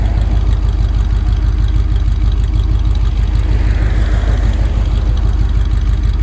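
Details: 1965 Dodge A100 van, V8 sat for years, now on fresh fuel, smoking a bit: deep, even burble at about three pulses a second, no stumbles or knocks; normal idle.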